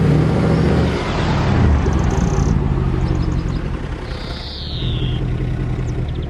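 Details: Salvage-auction Mercedes C63 AMG V8 driving slowly up the drive: deep rumble swelling and sagging every couple of seconds, engine hunting while nav screen flickers and airbag and ABS lights come on; cause unknown.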